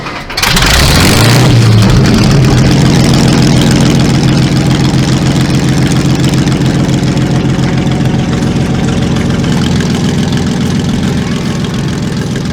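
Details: Panther tank engine brought to life by hand-cranked inertia start and then the ignition, readied for AusArmourfest: it catches, briefly revs, then settles into a deep, steady, evenly beating idle with no misses or knocks; it runs healthy.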